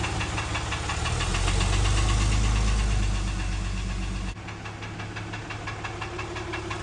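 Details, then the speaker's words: 6.7 Cummins turbodiesel in a Dodge Ram: steady loud knock at about four per second over the diesel rumble, a clear internal engine knock, cause not yet found; engine being pulled to diagnose. "Couldn't hear the knocking in the other video. Pretty easy to hear in this one."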